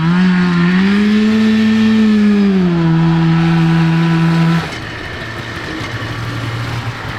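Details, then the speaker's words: Kawasaki 440cc two-stroke snowmobile-engine go kart, carburettor rejetted, no longer bogging: high flat buzz at wide open throttle that barely climbs with speed, then drops; CVT drive belt slipping. "Yeah, but the belt is terrible. yeah, you can hear it actually slipping."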